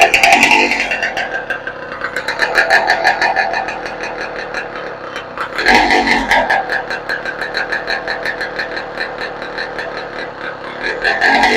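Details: 2015 Yamaha YZ125 two-stroke after engine rebuild (crank seals, top end, cleaned carburetor), run without gas tank or muffler: open unmuffled crackle, revs up cleanly in blips and settles; normal running.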